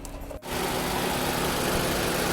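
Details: Nissan March (Almera/Note platform) radiator cooling fan after replacing a noisy motor with bearing failure with an aftermarket motor, engine idling: smooth, steady rush of air, no rattle or grinding; fan motor sounds healthy.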